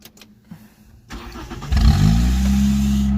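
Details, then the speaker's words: 1989 Nissan Sentra B12 on a newly bought refurbished battery: quiet clicks, then the engine fires and settles into a low steady idle, with a loud squeaking belt. It shuts off every time it is put in drive or reverse; cause unknown. "All right, put it in drive, and it shuts off every time. So I gotta figure out what that is."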